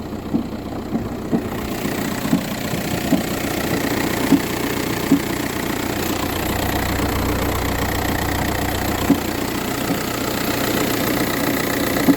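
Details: VW Touran 1.9 TDI diesel, cold start idle, morning only: loose uneven knock about once a second over diesel clatter; no issues when driving or changing gears; cause unknown.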